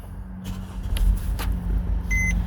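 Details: 2014 Mercedes GLK 250 BlueTec diesel, 179,887 on the odometer, used-car inspection: push-button start catches quickly into a low, even diesel idle with dash chimes; no knocks or stumbles, a healthy start.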